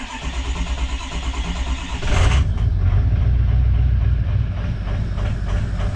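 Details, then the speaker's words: 2005 Ford 6.0 Powerstroke diesel after fixing no-start (stand pipe and dummy plug update, cleaned IPR valve, new HPOP suction O-ring), cold start after glow plugs warm: about two seconds cranking, then an even diesel idle; normal. "now she sounds pretty good she started up pretty quick i'd like to see her start a little faster um but that's way better than what it was"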